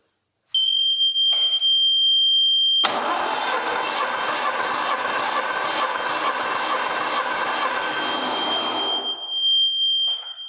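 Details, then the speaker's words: Hatz single-cylinder diesel in a pad foot packer that doesn't go: starter churns quickly and evenly, about three pulses a second, for six seconds with no firing under a steady whistle; spins too freely, low compression. "let's see if we can make it go he was right it doesn't go let me get a battery charger maybe now it'll"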